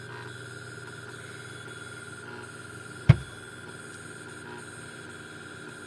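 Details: Old Pentium III desktop computer making strange noises: steady electrical hum and thin high whine broken by one sharp click.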